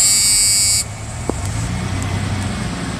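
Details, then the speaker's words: 1995 Ford F-150 4.9 L straight six, 201,347 miles, after bouncing-tachometer fix: brief high buzz cuts off, then steady, even low idle at about 800 rpm with no stumble or surging; running normally. "all right it's Adalind I'm about 800 rpms the tack I fixed it I fixed it by the way anyway as you can see the tacks are in the and it's running great"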